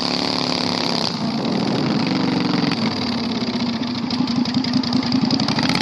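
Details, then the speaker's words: 670cc V-twin Predator go-kart revived after sitting for months with carburetor problems: loud, raw, crackling V-twin bark with sharp exhaust pulses and no damping; open exhaust running without any muffler. "I don't want to ride it anymore. It's way too loud."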